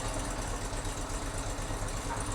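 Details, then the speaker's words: Chevy Z71 at auction, jump-started with a booster pack, warning lights flashing: just after start-up a busy metallic rattle over steady idle drone that doesn't go away; something badly wrong internally, possibly timing chain, unconfirmed. "I was hoping that rattling was going to go away. Let's shut it off. No, I don't think that rattling is going to go away, guys. There's something very wrong."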